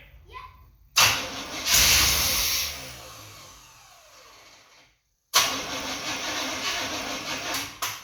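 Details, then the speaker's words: 1989 Chevrolet Suburban, 350 TBI with 700R4, sat 15 years: it cranks, catches with a short rough roar, then dies, starved of fuel and running only on what was poured in; needs more work to stay running. "She needs the Suburban needs some more things to make it stay running. It does need some more things to make it stay running."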